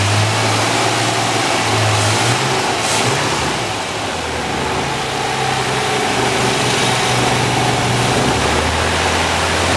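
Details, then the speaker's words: 2008 Toyota FJ Cruiser, 4.0 L V6, automatic, 4x4, about 152,000 miles, front-end damaged: smooth, steady V6 idle with clean, free revs, no knocks or ticks under the exhaust note; an excellent-running healthy engine. "as you can hear this is an excellent running 152,000 mile motor"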